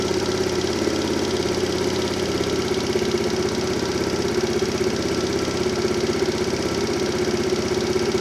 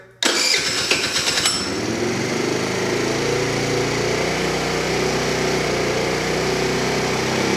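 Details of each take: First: Tao Tao Pony 50cc GY6 (139QMB) scooter, warmed up after the auto choke came off, idle set with a tachometer: steady, even putter at about 1750 rpm, within factory spec, with no misses or knocks. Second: Tao Tao Pony ATM 50 scooter, 50cc GY6 139QMB engine, first startup after assembly and pre-oiling: cranks briefly, then a fast, steady buzzing idle well above normal; idle to be set to factory spec with a tachometer.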